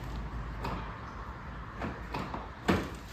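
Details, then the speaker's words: Toyota Corolla boot lid won't open: faint clicks and a soft clunk come from the boot as the release lever is pulled, but the latch doesn't release. The boot opened when the car was bought, then stopped working. "So, there's movement back there, but it's just not opening."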